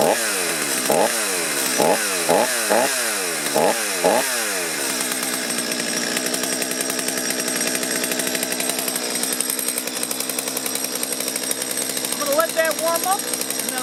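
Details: Stihl chainsaw that was hard to start and bogged, restarted on factory carburetor settings after a brief warm-up: several throttle blips then a steady high scream without bogging or stumbling, running cleanly.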